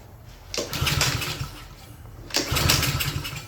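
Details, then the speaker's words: Craftsman self-propelled mower with Honda engine, no-start, oil overfilled, given starting fluid: two brief sputtering bursts that catch and die while cranking; flooding with gas shooting out the muffler, suspected carburetor problem. "Got gas shooting out the muffler. I'm going go ahead and turn this fuel off."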